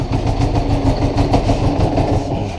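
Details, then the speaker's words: 1980 Honda GL1100 Goldwing flat-four idling after revival; an even, steady low throb with no knocks or misses, purring smoothly; it will not run without the choke. "The other really super nice thing is this. Listen to that thing purr."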